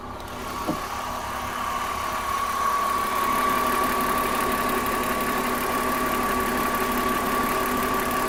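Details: BMW M54B30 inline-six at idle: light fast ticking about four per second over a steady idle and faint high tone; top-end tick or rattle, source not pinned down.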